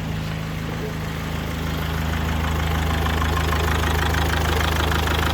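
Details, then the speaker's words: 2004 Mazda 6 2.0 MZR-CD diesel after engine replacement, now idling evenly with a smooth low drone, no shake and no check-engine light; scan showed large injector correction on cylinder 3, so either low compression or an injector fault. "Зараз рівненько працює, не підтрушує. Чека немає."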